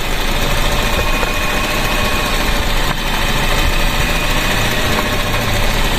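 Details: Grab taxi car idling evenly and steadily with no stumbles after the crossed plug wires were put back in the 1-3-4-2 firing order; misfire fixed, running on all cylinders.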